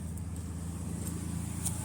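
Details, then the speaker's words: Ford Ranger idling with a low, even rumble after repairing a holed vacuum hose under the throttle plastic cover (leak caused loping, surging idle); now smooth, no hunting. "So um you can now start up the engine and uh it it'll purr."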